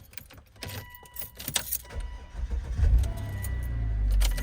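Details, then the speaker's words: 2007 Volvo XC90 starting on the original chipped key during immobilizer key cloning: keys rattle, engine catches after about a second and settles into a steady low idle; normal clean start. "it starts perfectly, but with this key that doesn't have a chip, it doesn't start it."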